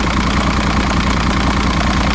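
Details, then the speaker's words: 2006 Evinrude 90 E-TEC outboard after fuel pump work; smooth even low idle burble, no misses or surging; no active faults, engine temperature about right, good battery voltage. "Yeah. It's good. No active faults. Temperature is about right."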